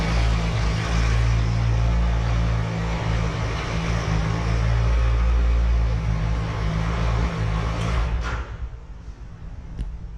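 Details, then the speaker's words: 2016 Triumph Tiger 1200 Explorer, 5,000 km, after clutch basket (campana) machining, reinforcement and spring replacement: steady, even low idle rumble with no clutch-side rattle or clatter, then clean shutdown; normal idle after repair. "vamos funcionar aqui agora a moto ver se a gente consegue pegar no o áudio aí né vídeo Inicial e o após reparo feito na Campana"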